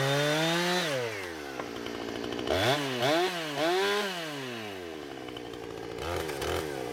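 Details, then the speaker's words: Husqvarna 455 Rancher chainsaw with about 4 hours total runtime, previously running rough after warm-up, now after ignition coil replacement: clean revs climbing and dropping smoothly through each cut, no stumble or misfire; pulling strong. "She runs like it's supposed to. Never once did it stumble or anything like that. It was the coil, and I'm happy with it."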